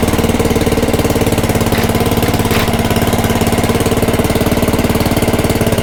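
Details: Craftsman/Ryobi rototiller after belt replacement, throttle about 3/4 in neutral: small single-cylinder engine holds a steady, even putter with no misses, surging or knocks.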